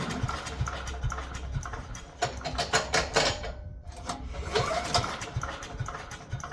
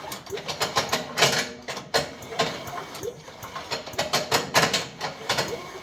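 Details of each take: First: Abandoned wood chipper with an older 5 hp Briggs & Stratton single-cylinder, stuck valves freed with Deep Creep, fuel added, choke on. The engine catches and runs unevenly with bursts of revving but keeps running. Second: Chipper with a 5 hp Briggs & Stratton engine, pulled over slowly after penetrant treatment: uneven dry metallic clatter from loose beaters inside the chipper drum, not the engine.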